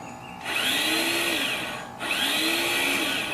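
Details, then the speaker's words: Honda HRX217 mower that sat outside for years, now running: the electric starter gives two high whirring bursts that wind up and coast down with no cranking. The starter spins without engaging. "The starter is spinning, but it's not engaging."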